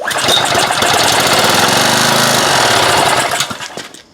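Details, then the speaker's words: Old 2400-class pressure washer with a sitting engine, gas squirted down the carburetor, plug pulled and refitted: it fires up in a fast rough chatter for about three seconds, then sputters and dies. Owner guesses a hanging valve but later blames flooding from too much gas. "so it does run what do you think of that I pull the plug out put it back in and the thing fired up"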